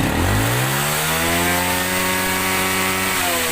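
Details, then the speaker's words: 2003–2004 Honda Supra Fit motorcycle after converting the charging system from AC to DC: engine runs after a quick throttle blip, revs settle into a steady, even idle without stumbling or misfire; normal idle, power feels good. "Oke ini motornya udah nyala ya Oke coba digas ingin menyentuh hatinya pun enak tenaganya pun enak ya stasionernya juga bagus gitu kan"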